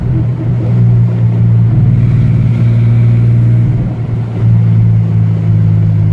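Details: Ford Ranger engine: a deep rumble with an uneven, lumpy beat and occasional stumbles. It is misfiring despite a long list of parts already changed; the cause is still unknown.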